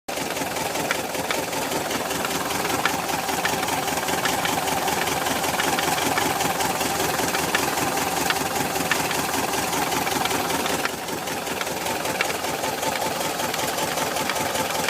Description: My 1973 VW Bus started making this strange knock and I can't figure it out. It does it when it's both cold and hot. Sounds like it is right around the distributor.